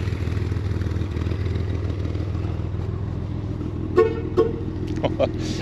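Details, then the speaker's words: 1966 Chevrolet Corvair Monza convertible, engine idling evenly after a clean start, then two sharp, instant horn toots and a couple of shorter blips; the horn is very responsive and works properly. "est superbe le klaxon et vraiment sensible dès qu'on appuie il se déclenche"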